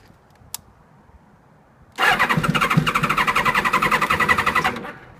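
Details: 1998 Kawasaki ZX-7R, just over 38,000 miles, cranked after running out of fuel and draining the battery, now on fresh gas and a recharged battery: the starter spins at a steady, even rate for three seconds but it never fires.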